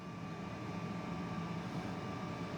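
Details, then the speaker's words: Power-vented water heater vent blower motor after oiling its seized bearings: steady low hum with a faint constant whine and no grinding or rubbing; blower spins freely and heater ignites again. "And you can hear it running now. So that was the problem. This was seized up."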